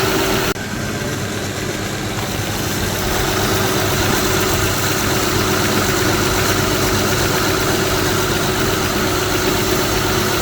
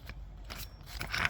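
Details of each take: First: Smooth, even idle of a 2007 Honda Odyssey Touring 3.5 V6 after belt tensioner assembly replacement; no bearing noise, unlike the old stripped assembly whose bearing was audible. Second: 2007 Honda Odyssey Touring 3.5 belt tensioner assembly, removed and its pulley turned by hand, with a dry, scratchy metallic rasp and uneven clicks: worn pulley bearing, assembly being replaced.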